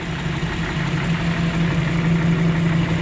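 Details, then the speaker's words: 1992 Jeep Wrangler 4.0L six-cylinder after replacing its cracked exhaust manifold: it starts right away into a deep, steady idle with an even low rumble and no ticking or puffing leaks; normal idle. "all right let's fire it up oh right away oh fantastic oh it's fantastic"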